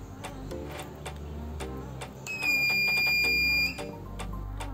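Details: Car power inverter that shows a red light and beeps on power-up, still failing after its board was cleaned: one long, steady high-pitched beep of about 1.5 seconds; inverter fault alarm beeping, cause undetermined.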